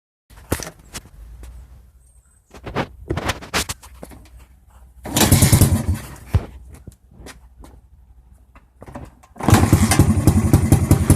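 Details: 1989 XR100 kick-started with timing and carb already checked: repeated kick bursts sputter briefly then die, never settling into an idle. Engine cranks but won't start; cause unknown.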